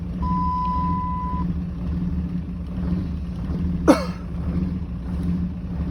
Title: Rough Idle